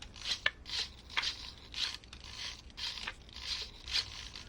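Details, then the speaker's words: SG90 micro servos in a Vanquish H10 Optic RC working interior: short, soft whirring bursts about twice a second, much quieter than the chattery Hitec HS55 servos; running smoothly. "But yeah, you can see how much quieter the SG90 servos are versus the HS55 from Hi-Tech."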